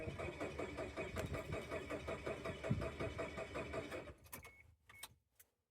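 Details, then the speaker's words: Chevy Tracker after replacing the fuel pump connector, owner unsure the pump gets power: starter spins the engine in an even churning rhythm, nearly three beats a second, for about four seconds but it never catches. Crank, no start; cause unconfirmed. "looks like we still have a problem Houston we've got a problem"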